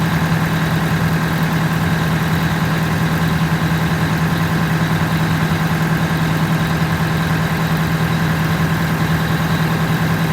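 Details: Detroit Diesel 8V92TA in a Wanderlodge, after repairing a significant oil leak from the blower and tightening a radiator hose clamp: deep, steady two-stroke diesel rumble with an even beat and blower whine, no stumbles or knocks; the V8 idles healthy.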